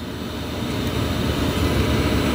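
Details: Chinese diesel heater installed in Volkswagen T4 van, after startup once fired up; steady low rumble, even unbroken roar, no misfiring pops; burning cleanly, normal running.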